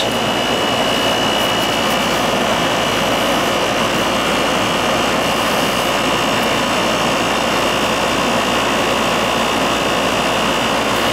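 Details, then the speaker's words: Second-floor AC that was not cooling, running after a burnt contactor was replaced; a constant airy rush with a thin steady high tone and no clatter or buzz. It runs smoothly. "We'll turn it on, make sure it runs. Nice and cold."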